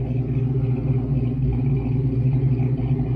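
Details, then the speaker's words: Foxbody Mustang V8 with stage 1 cam, at about 900–950 rpm idle: steady, deep burble with no ticking, after fixing a noise from the passenger-side valve cover. Cam hits softer than expected, probably because idle is a bit high. "We're sitting at about 900 RPM, 950 right now, so that's probably some of it. It's just, it's got a good burble."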